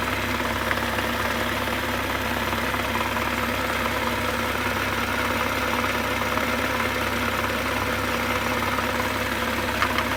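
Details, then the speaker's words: Wrecked 2023 BMW M240i with its B58 at 4,000 miles, warmed up at idle: a quick, light knock about three times a second from low in the block; lower engine knock, source unidentified. "I stuck my head up to a screwdriver and I put the screwdriver onto the oil pan right where roughly cylinder 5-4 is, like right where the oil pan is, and"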